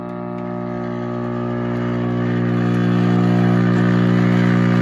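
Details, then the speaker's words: Vintage Admiral radio-record player, possibly previously worked on, first plugged in: loud steady low hum with buzzy overtones building at switch-on, caused by failed power supply filter capacitors needing replacement; tuning and motor still work. "So it definitely needs filter caps. So I don't want to smoke the caps, but that's what you're hearing. So we need a power supply filter cap."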